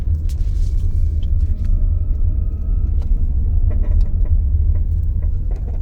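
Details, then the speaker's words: Tata Nexon EV, lifting off/regen deceleration from about 20 km/h: irregular dull "khatar khatar" knocks from front centre over low cabin rumble, from dry front suspension bushings. "when the car goes in regen mode, I hear this khatar khatar noise from the front centre of the car."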